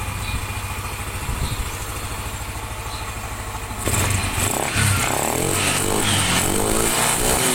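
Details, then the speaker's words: Yamaha NMAX scooter, formerly rough-running, hard starting and spraying radiator coolant from compression leak, after rebuild with new gaskets: steady idle with even firing, then clean throttle blips rising and settling smoothly; engine smooth, fixed. "mesin sudah halus suaranya air radiator sudah tidak nyembur di starter nya gampang dimatikan nyala gampang juga"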